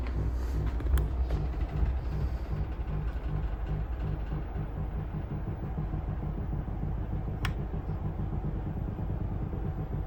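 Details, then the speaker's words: Valve guitar amp with all controls at 0 or 1, tremolo activated by grounding the tremolo plug: steady low thumping pulses about three or four a second from the speaker; already has a 10 nF capacitor from the roach to ground. "so you can hear that it is thumping away."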